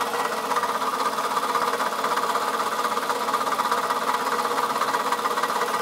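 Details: 2004 Toyota Camry engine at idle, noise started today: sharp, regular tapping roughly three per second over the idle; engine knock, owner suspects a bad piston, not confirmed.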